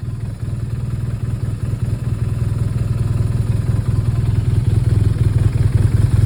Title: BMW R1200R 2011 Rough Idle + misfires